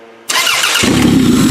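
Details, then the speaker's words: Old-body Toyota (believed 1994) derby car, starter hot-wired by touching a bare wire to the battery positive. A half-second starter whirr, then it catches at once and settles into a strong, even run. "See how easy that is? That is how you hot wire a starter."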